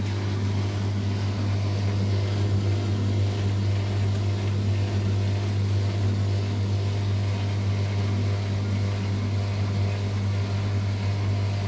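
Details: LUX front-load washing machine that filled but whose drum would not turn in wash or spin, after a 5 mm hex bolt was tightened and belt checked: steady low hum, even unbroken run, no knocks or scraping; drum spins normally.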